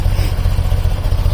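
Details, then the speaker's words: BMW airhead boxer twin after valve cover gasket, valve adjustment, timing and carb synchronization: low steady even thumping at about 830–850 rpm, no misses or hunting; carbs balanced, runs smoothly after previously refusing to idle or rev. "all it took from not wanting to idle what are not wanting to rev up to a perfect balanced part 8 30 840 850 something like that I like that sounds good runs really smoothly"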